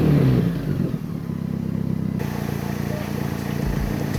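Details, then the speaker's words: 1995 Toyota Corolla running after fixing a massive exhaust leak from a missing catalytic converter by clamping in a flex pipe; low, even engine note with steady pulse, no puffing or ticking, much quieter than before; normal exhaust note. "all right so we finally got the exhaust installed on the car it sounds much better than before way quieter for whoever buys it so we call that a success"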